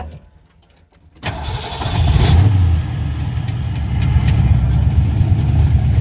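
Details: Junkyard Ford Mustang Fox body 5.0 V8, after replacing a throttle position sensor with no signal voltage and fixing a fuel leak: catches at once, strong even rumble with light throttle blips, no sputter; normal start and rev.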